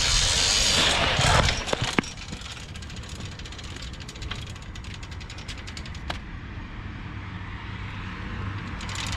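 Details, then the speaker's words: Home-built motorized bicycle ("The Black Duck"), first start after the build: small two-stroke catches and settles into quick, fairly even ticking near four per second, sounding dull, muffled and tractor-like; owners think it may be the different engine. "Is it on? It is on. No way! Let's go! Sounds weird though."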